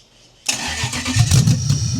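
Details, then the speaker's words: Racecar engine self-wired to its ECU harness, first start in five years with manifolds on, sparks and flames from the exhaust: loud, uneven, surging and stumbling idle while the ECU relearns. "Oh, it's learning. It's learning. She's getting there, man. She wants to go."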